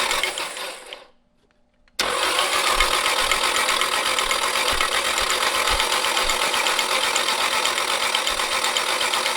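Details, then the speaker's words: Nissan 240SX S13 with SR20DET, long abandoned, cranked by feeding power straight to the starter with the fuel pump disconnected: a fast, even, dry metallic rattle at about four beats a second over the starter whir. Unusual mechanical noise while cranking, cause unclear. "nothing yet all right doesn't sound great okay it's gonna take a while i hope not a little different mechanical noise"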